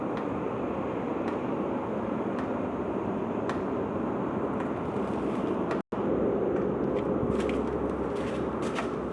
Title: 0042 Citroen Xantia X1 釋放軸承異音 Clutch Release Bearing noise 20201123